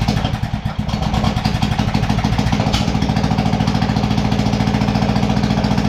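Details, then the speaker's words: New McCulloch/Poulan Pro 452 cc vertical shaft engine in a Craftsman LT1000 tractor running without exhaust or muffler after first start: loud, raw, even popping beat at fast steady idle, no misses; runs cleanly. "we're gonna add a little bit of gas to the tank and see if she'll fire it'll be loud though without exhaust"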